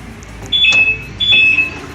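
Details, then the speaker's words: Volkswagen Voyage central-locking door actuator: two sharp, high-pitched whirring buzzes as the lock cycles, sometimes failing to unlock; a universal replacement motor with cut original wiring was found installed. "a veces no desactiva y cuando existe ese ruido bueno vamos a desarmar el panel y vamos a ver por qué está haciendo ese ruido"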